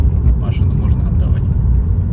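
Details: Audi A3 driving after replacement of the front left hub bearing, which had been humming: steady low road rumble with no droning hum building with speed; the bearing now sounds healthy.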